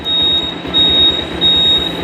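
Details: Bajaj Pulsar 150cc horn with suspected battery or cut-wiring problem (headlight and self-starter dead, kick start only): thin, raspy high honk pulsing unevenly rather than a steady blare; weak distorted horn, cause unclear.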